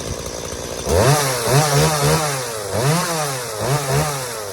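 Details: Stihl MS180C chainsaw that bogged and died on throttle, after a carb rebuild with new metering and pump diaphragms and gaskets: crisp revs climb cleanly in repeated blips and return to a steady idle without bogging.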